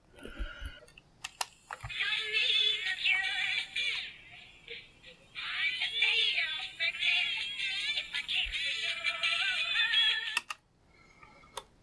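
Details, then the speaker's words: GE cassette player after belt replacement, no speed potentiometer found: squeaky chipmunk-pitched music, almost no bass, tape running far too fast with speed control at maximum; owner blames the overly tight new belts. "alright well it works it works but it's going way too fast that's probably due to the belts being so tight"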